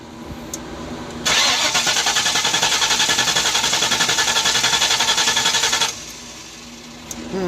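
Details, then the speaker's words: 1994 Ford Mustang GT convertible after fitting a new distributor for weak spark: starter cranks steadily about four and a half seconds without firing, worse than before, now no spark anywhere; crank, no start. "Not even trying to start now. Try it again. Nothing. That's worse than it was before. At least it tried before."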